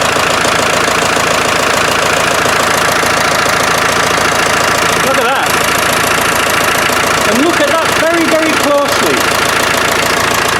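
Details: Land Rover 300Tdi diesel idling loud and rough, hard to start, cheap parts suspected; steady chuff about twice a second under the clatter; owner believes the chuffing comes from the glow plugs, hopes the seats are good.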